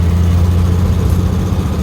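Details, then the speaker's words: 1970 Mercedes-Benz 280SE with new thermostat, water pump and heater crossover hose: steady even idle rumble with no knocking. Oil pressure reads a little low at idle but jumps to about 45; owner suspects the sensor. Sounds healthy. "but that could also be the sensor because she immediately goes to like 45 instantaneously. So it ain't knocking."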